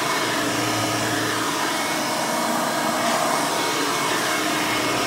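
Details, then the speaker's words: 1990 Hoover Elite 350 upright vacuum, model U4463-9, 5-amp motor (quieter than 7-amp versions), side-mounted slider power switch: loud, steady high-pitched roar with an even tone and no knocks or rattles; motor running normally. "But enough of that, let's go ahead and run this thing so you can hear it in all its screaming, overly loud Hoover glory."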